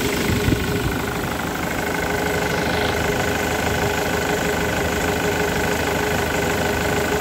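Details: Diesel at idle, Ford Mondeo suggested, with Delphi injectors after repair and a return-flow test into a 5 ml syringe (norm 5 ml; about 3 ml in 30 seconds): steady, even clatter with no misses or hunting; normal idle.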